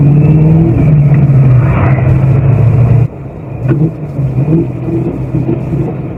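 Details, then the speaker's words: Aging Fox Body Mustang breaking down on the road about half an hour from home: the steady engine drone sags and drops out, leaving uneven rough pulses as the engine stumbles and stalls while driving. "I can feel it dying you probably hear it now it's been a long way to go I'm probably still half an hour from home she's dead again wonderful"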